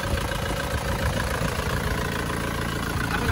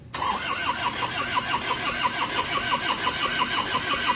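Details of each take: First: Isuzu Panther pickup diesel, warm after a test drive following liner and ring replacement: steady, even idle with no puffing, and no blow-by smoke at dipstick or oil filler; repair cured, normal idle. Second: Isuzu Panther pickup diesel, reassembled after smoking from the dipstick and oil filler after an oil change. Long cranking with even chugs about 88 a minute that never catches, with thick white smoke; injection timing too retarded.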